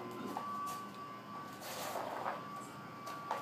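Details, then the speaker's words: Sump pump restarted after a home repair and taping, running normally: a faint, steady, even hum with no knocks or rattles; it fires right up and runs smoothly. "Again, if you can hear that, it fired right up."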